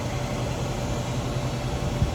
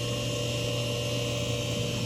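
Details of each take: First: Hayward heat pump pool heater, after its coil tested good at 11.9 ohms, set to 85°F: the fan starts with a steady, even whoosh over a low hum, no rattles or scraping. Normal fan operation. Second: Hayward heat pump pool heater that stopped working, possibly after heavy rain: powers on with a steady low electrical hum and a few fixed tones but no fan whoosh; fan won't turn.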